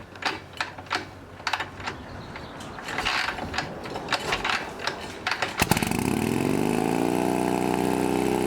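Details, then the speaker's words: Harley Shovelhead V-twin chopper running a new S&S knockoff carb. After a throttle cable fix for its high idle, it fires after some clicking and settles into a smooth, steady idle with no misses. It smokes heavily; owner wonders whether it needs a rebuild or head gasket. "so we got it started and now we finally got it idling as you can see"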